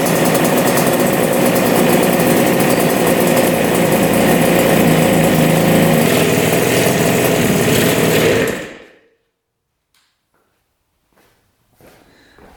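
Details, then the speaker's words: Two-stroke twin idling crisp and even on both carburetors, then shut down cleanly; clogged filters were suspected of starving the right carb, both pipes now hot, owner thinks main jets may be too big; normal idle. "yeah running good running on both carbs that sounds so good"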